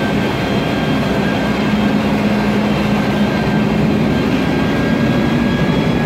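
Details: 2007 MAN Lion's Classic CNG city bus, MAN E2876 LUH03 EEV turbo engine, Voith DIWA 864.3 4-speed automatic, noisy Voith gearbox: steady drone with constant low whine over engine noise; automatic transmission whine.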